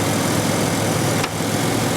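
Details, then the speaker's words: 1997 Ford Ranger, 228,000 miles, never rebuilt, after reassembly: warm engine holding a smooth, steady idle with an even hum, only slight vibration, no stumbles or ticks; healthy idle. "it's got a little a little bit of a vibration but man is that ever nice at 20 years old never rebuilt but man is that ever smooth"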